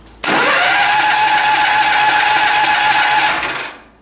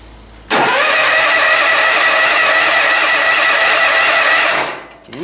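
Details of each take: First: Powerfist 15 HP engine, cold start: cranks, catches, runs fast and steady about three seconds then dies; cooling fan air blows the vane open and releases the choke too early. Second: John Deere zero-turn, cold start in icy weather at full throttle after a spring change: it catches at once, holds a high buzz about four seconds, then drops away; manual choking is considered.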